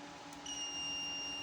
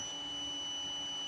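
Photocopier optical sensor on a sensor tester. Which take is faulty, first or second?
second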